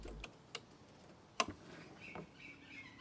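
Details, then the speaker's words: 2006 Hyosung GT650S carburettor removed after two years stored: sharp irregular clicks, no engine running, as sticky throttle butterflies snap free; pilot jet blocked, old fuel residue on needle. "The throttle butterflies are a bit sticky, You can hear a clicking noise as"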